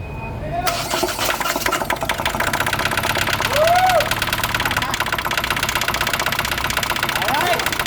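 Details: Hyundai Accent CRDi diesel, previously cranking but not starting, now repaired: starter churns briefly, then the diesel catches and settles into a steady, even clatter at idle; normal start and idle.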